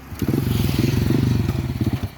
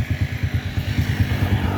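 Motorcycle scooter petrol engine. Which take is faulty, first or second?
first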